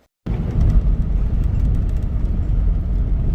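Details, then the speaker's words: Jeep after replacing the failed fuel pump and the fuel filter (accessed by cutting the floor; a nail was found in the tank): deep steady rumble with no misses, knocks or stumbles. Running normally after the repair. "running pretty good. So today I was able to just cut the floor, change the pump, change the filter,"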